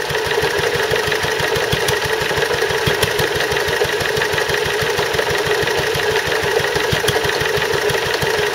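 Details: Stuart Turner water pump after replacing the failed big end bearing; steady single-cylinder beat with a light regular knock every few strokes, noise much reduced, remaining knock unexplained; owner wonders if it is a valve.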